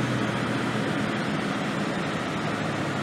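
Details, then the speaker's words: Jaguar XK8 idling after ignition coil replacement and valve cover reseal (oil had leaked into cylinders 2 and 4 plug ports), a little smoke at start: smooth even idle, steady hum, no misses or stumbles. "let it idle for a little bit definitely idling really smooth"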